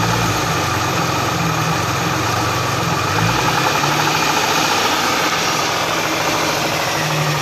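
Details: Hyundai V6 idling with a dull, irregular knocking under the hum that swells briefly as revs lift; source of the knock unknown.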